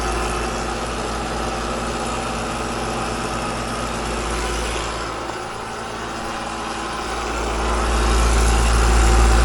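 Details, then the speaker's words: AC outdoor unit with scroll compressor: loud heavy drone with even rattling chatter swelling near end; suspected too much refrigerant returning, possibly scroll plate, not confirmed. "Now I'm just going to check, since it's so noisy and chattery, it just sounds like we're getting too much refrigerant back to the unit."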